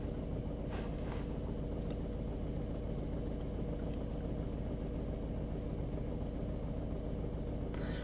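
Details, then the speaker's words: Seat Ibiza three-cylinder petrol engine idling with engine warning light on, violently shaking and running on two cylinders; heavy, lumpy idle with uneven low thump; code P0301/16685 cylinder 1 misfire, suspected ignition coil or spark plug. "I'm sort of violently shaking all over here um the engine is a three-cylinder petrol engine and it seems to be only running on two cylinders"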